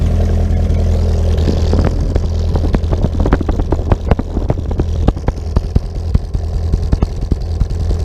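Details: 2010 VW Gol EA111 engine sold as rebuilt, found to have piston noise and oil pressure loss at the head: a cold start with low, rough idle and irregular sharp pops about twice a second; popping on cold start, cause unconfirmed.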